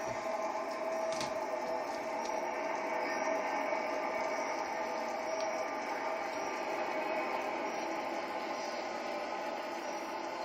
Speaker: this is a weird sound thing to hear in the urine theater go by the tunnel and you can hear this I don't know what it is